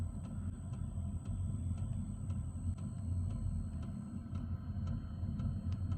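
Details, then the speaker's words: Newly installed Velpax diesel heater in a Ford Transit van, still in its heating phase: soft, evenly spaced ticks about twice a second over a low rumble from the diesel fuel pump; normal, quiet rhythmic tapping. "You can just hear the diesel pump ticking, and I've had a lot of people complain saying that it's too loud. It's very quiet tapping. It's like almost rhythmic."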